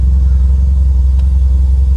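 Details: 1995 Toyota Celica GT4 import, first real run after 8–9 years stood, fuel leak at tank connector fixed, no airbox fitted, cam belt not yet done: deep, steady, even idle rumble, no knocks, misses or ticking; healthy.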